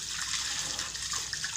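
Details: One-horsepower water well pump, just refitted after the pipes were lifted. Before the repair it made bubbling sounds and gave low flow (tank took 10 minutes instead of 4). Now a steady, full rush of water with no sputter; flow is strong and normal.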